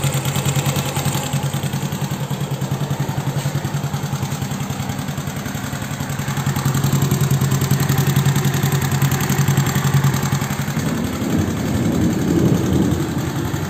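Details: Honda Beat carburetor scooter just started after replacing worn valve rocker arms and pins: even, steady idle putter, no top-end tapping; loud head noise from before is gone, engine healthy and settled.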